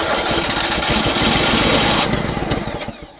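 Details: Gasoline engine on a long-parked crane. Runs only on starting fluid, catching in ragged bursts for a couple of seconds, then dying. Fuel is in the line but the fuel pump won't pick it up; fuel starvation.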